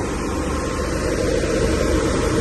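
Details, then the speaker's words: A McQuay chilled-water air handler, after its worn pillow block bearings were replaced (before, it sounded like a jackhammer), gives a smooth, even rush of air with a steady low hum. The grinding is gone, leaving only a slight tap: normal fan running. "I'm going to let that run a few minutes and uh we'll check the tension again on the belts definitely that major grinding noise is gone"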